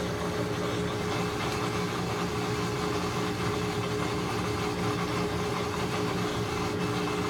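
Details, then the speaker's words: Maytag Centennial washer after actuator motor replacement (control board also faulted), running a normal cycle after calibration; steady even motor hum, low drone, no grinding or knocking, spinning normally. Previously it would not spin or agitate. "I can already hear that it's spinning which is good that's in the case that the actuator motor is working and the washer is working"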